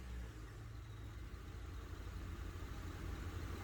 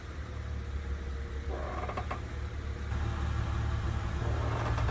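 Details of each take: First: 2001 Honda Odyssey, parked with engine idling and brake pedal pressed: low steady rumble with no creak after the rear drum brake shoes were replaced and their contact points lubricated; the rear creak on braking is gone. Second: 2001 Honda Odyssey, engine running, parked: drawn-out groaning creak three times, each as brake pedal is pressed, from rear drum brakes, louder near the rear drum; suspension ruled out; fixed by lubricating brake shoe contact points.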